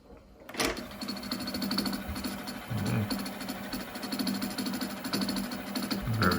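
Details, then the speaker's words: Akai GX-R88 auto-reverse cassette deck with GX heads, playing a cassette: steady mechanical grinding with a ragged, uneven scrape from the tape transport; owner suspects a worn idler, and a bad, worn idler tire was found. "interesting. I think this will be due to warm idler or maybe something else."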